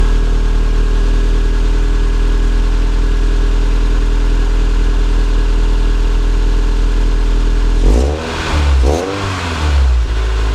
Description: SW20 MR2 触媒排気漏れ修理後の音です。